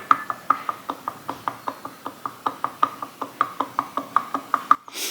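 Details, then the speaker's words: Harley-Davidson Panhead during teardown, connecting rod rocked up and down by hand: sharp metallic clicks about five a second from vertical play, showing worn bottom-end bearings. "so that is those bearings in the bottom end starting to go so this might be a bigger series than what we originally anticipated"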